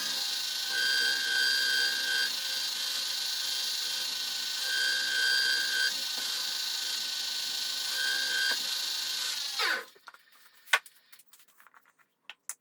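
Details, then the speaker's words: Wood lathe spinning a box elder bowl during 80-grit sanding: hissing sanding with a thin high squeal coming and going; owner blames cheap bearings he bought, squealing noise. "If I'd listened to Rich, my bearings probably wouldn't sound like that and got the bearings he told me to get. But I was cheap and I bought cheap ones. It sure sounds like I bought cheap ones."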